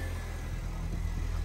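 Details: Fiat 500 at idle after exhaust manifold and cover refitted, left running for ECU air-fuel relearn: steady, low, even idle with no ticking or puffing from the manifold area; runs smoothly.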